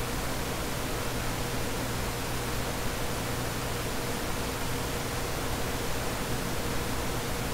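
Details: Dell CS24-SC 1U server (dual Xeon L5420, two of four 40mm San Ace fans removed) at idle before load: even, steady rushing air from small fans at constant speed, no surging or tones; normal baseline fan noise.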